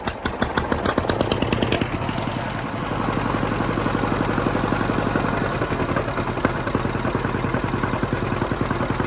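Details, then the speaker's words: 1950 John Deere B two-cylinder tractor at idle, after magneto got water and points checked: slow putt with odd dropped beats, a slight misfire; gas keeps getting into the crankcase, cause not pinned down, best it has run so far. "it still sounds like it's got a weird mist to it and i'm just gonna take that as a win"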